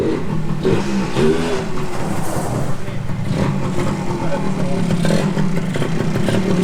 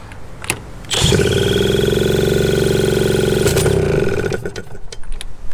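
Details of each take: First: 1981 Suzuki TS250 two-stroke, after carburetor bore setting corrected, kick-started: buzz picks up cleanly as throttle opens and settles back without stumbling; pulls strong and sounds healthy, normal running. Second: 1981 Suzuki TS250 two-stroke, long parked, with a new B9ES plug: it catches after a few coughs, then climbs to a loud sustained high rev on its own before dropping, repeating earlier behaviour. Cause unknown; owner suspects ignition issues.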